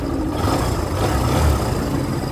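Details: 2023 Barako motorcycle, formerly hard to start in the morning, after idle and screw adjustment: steady low single-cylinder thump holding an even idle without stumbling or dying; engine settled and healthy.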